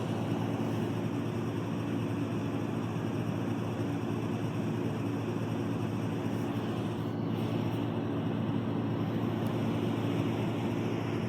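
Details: LectroFan Micro white noise machine on lower-frequency white noise settings: deep even rumbling with a steady low buzz running through it from start to finish.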